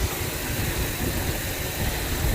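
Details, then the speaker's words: 2005 Land Rover LR3 4.4L V8, warm, with codes P0300 and P0302/03/04/06/07: uneven lumpy idle with a persistent misfire, still present after refitting the loose intake boot, though fuel trims improved. "still a misfire so let's say we still have a misfire"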